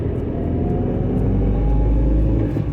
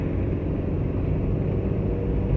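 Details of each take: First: Maruti Suzuki Eeco 2011 van on petrol, pulling away slowly: steady low rumble with a faint drone from the rear silencer; louder when cold, cause not pinned down. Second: Maruti Suzuki Eeco 2011 van on CNG, driving in fourth gear above 60 after third: steady low road rumble with no knock, rattle or rear silencer blow; runs quiet and even, rear silencer noise not appearing here.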